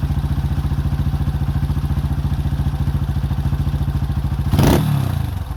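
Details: 2005 Honda CRF150F (California street-legal) single, after a valve adjustment and carb tune-up for a no-start; it had previously run very high without idling. Carb being adjusted; even, firm fast-idle thump, then a short rev. Runs clean now.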